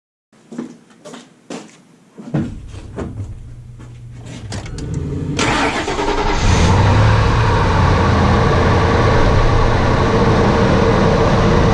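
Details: 1998 Ford Expedition 5.4L V8 after replacing the failed cylinder 5 ignition coil (P0305 misfire): a few clicks and a door sound, then a quick start settling into a smooth, steady idle; normal.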